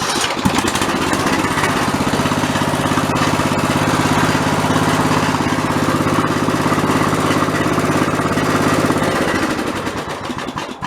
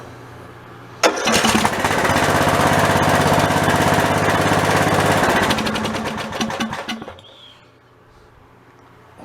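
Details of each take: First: Old OHV Briggs single-cylinder on White LT1300 mower, repaired after a pop and clang failure, valves readjusted, fresh oil and filter: steady even putter, no knock or miss, then stops; normal idle. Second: Old OHV Briggs single-cylinder engine on a White LT1300 mower starts and runs loud and rattly for about six seconds, then dies; rattling from loose baffles inside a worn-out muffler.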